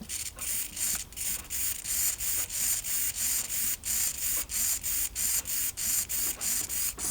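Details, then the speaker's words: HPI RC servo with plastic internals and plastic gears on a servo tester: even high-pitched whirring bursts, about 1.5 per second while sweeping back and forth, no grinding or skipping; works normally. "we got a HPI Servo not particularly interested in this HPI Servo uh um plastic internals plastic gears um not really interested in it but if it works I can sell"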